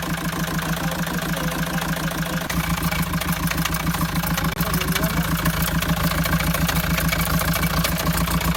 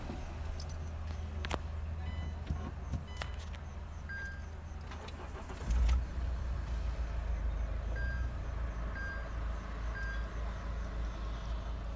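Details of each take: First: Mahindra XUV500 diesel before full engine overhaul; idling with rough, even clatter about three and a half beats a second; noisy engine before rebuild of pistons, rings, bearings, head and valves, cause not pinned down. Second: Mahindra XUV500 diesel after full engine overhaul (pistons, rings, bearings, head, valves, gasket), first start of break-in; key jingle, quick crank and catch into low steady idle with no knocks; no noise, normal start.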